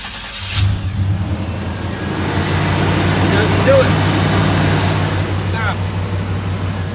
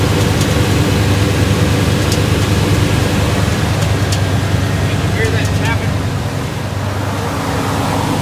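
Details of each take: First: 1989 Chevy K1500 Silverado, restarted: the engine catches and settles into a steady, even idle with no tapping, so the starter pinion clears the flywheel; the owner suspects heat expansion stops the contact the noise shows on cold mornings. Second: 1989 Chevy K1500 Silverado, morning start: a rough, low idle with occasional light metallic taps; the owner believes the loose starter pinion (bendix) is touching the flywheel, with the torque converter bolts checked tight. Fix: replace the starter.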